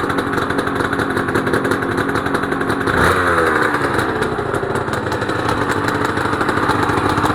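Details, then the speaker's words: Honda NSR250R-SP MC18 250cc two-stroke grey import on JHA pipes, start of a restoration project, power valve servo turning: crisp, even burble with a brief throttle blip that settles back to a steady idle. Normal two-stroke idle. "Wow, those pipes sound Those pipes, JHA pipes, sound lovely. I'm so happy."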